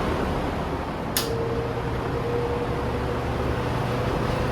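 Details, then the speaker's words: Vintage fan, rust-free, low speed (really like medium), plastic switch end knob rattles slightly but less on low: even steady motor hum with soft tone and one small click; normal running. "Rattles less on low. But you know, boy, so it's basically medium and high."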